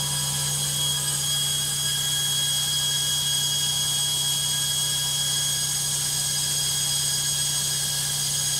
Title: LOGIK Washing Machine Noisy Spin 2